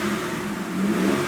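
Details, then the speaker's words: Mitsubishi 3G Eclipse after Marvel Mystery Oil added and driven 30–40 miles: quick rev blips rising and falling smoothly with no lifter tick; owner thought it was lifters, later found the hydraulic tensioner was the problem. "absolutely perfect guess it definitely was lifters"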